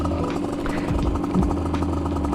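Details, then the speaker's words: 50cc Aprilia two-stroke, stock cylinder with breather mods, rejetted to about 102 main and 45 pilot (unsure), riding on a cold day: crisp, buzzy idle with uneven popping and hunting note, definitely running lean; owner suspects pilot jet or cold weather. "definitely running lean. Oh, yeah. I mean, it's getting cold, so maybe that's why."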